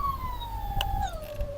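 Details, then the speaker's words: Crosser CR1 electric scooter hub motor with over 2,000 km, after a replacement controller, with blue and green phase wires swapped: the motor runs backwards and overspeeds to 90 km/h on the speedometer, a piercing whine sliding down in pitch. "Причём слышно, что мотор уходит в разнос."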